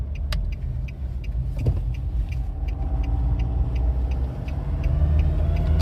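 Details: 2007 Nissan Pathfinder 2.5 dCi diesel: faint high chirps about three a second over a low diesel rumble as the throttle opens. Two workshops found no damaged vacuum pipes; the squeak's origin is unknown.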